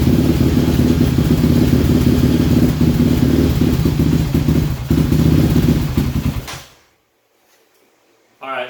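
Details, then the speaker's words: 2006–2007 Yamaha Raptor 700 ATV with a high-compression top-end rebuild: erratic, harsh single-cylinder idle thump at three to four beats a second, surging and then cutting out; traced to a wire harness fault inside the mid frame. "what also you're gonna hear is this bike is high compression but you're gonna hear that it kind of has an erratic thump to it so has a little bit harsher of a sound more than just what compression is"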